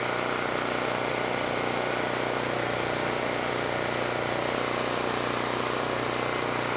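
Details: Generac GP5500 generator after a no-start repair, loaded with a 1,500 W heater and a 1,270 W heat gun, loading slightly and powering through; steady even drone, no misses or knocks: normal running.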